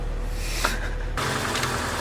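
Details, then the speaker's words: K-swapped Honda Civic with new exhaust, jump-started, TPS found uncalibrated: steady low idle rumble with even beat, no misses; runs smoothly now. "Alright, got it. That sounds so good."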